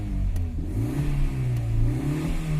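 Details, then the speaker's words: Car with a BRC Sequent LPG system running on LPG after the faulty cylinder 4 gas injector was replaced; engine revs and settles cleanly on all four cylinders with virtually no vibration, injector ticking audible. "Sì, il suono è molto pulito, vibrazioni praticamente assenti, diciamo che adesso l'iniettore è a posto."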